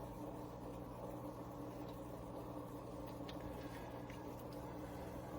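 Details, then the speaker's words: Marineland Penguin Bio-Wheel 350 power filter on a 55-gallon tank: very faint steady hum with soft trickle of water drippage, no rattle or buzz; runs quietly. "This thing's quiet. You can barely hear it."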